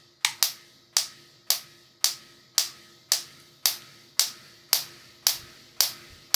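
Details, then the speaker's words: Ignition coil connection check using a pencil, after reversing the coil wires (negative first terminal, positive second): sharp, crisp, evenly spaced snaps just under two a second, small spark toward negative terminal; coil connected correctly, normal spark. "The second thing is that there's a small spark now directed towards the negative terminal. So, we can tell that the coil is connected correctly."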